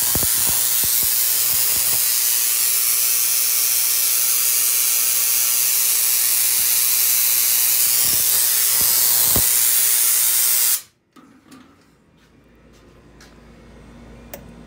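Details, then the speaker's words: Tesla coil spark gap: a loud, steady hissing, screeching crackle at a fast even pulse for ten seconds, then it cuts out; the coil is out of tune. "this is I believe up too close so you can hear it screeching over here at the spark gap so let's go out let's go out too let's see what happens there so right now that's definitely not tuned all right"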